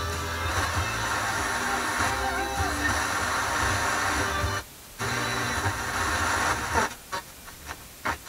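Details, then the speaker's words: JVC JT-V71 stereo tuner on FM, drawing about 8.3 W: music plays, drops to near silence and returns, chopping in and out repeatedly; it mutes itself though signal meter shows full bars, suspected dirty muting switch or tuning capacitor. "it's having some troubles with the muting sounds like it's muting itself"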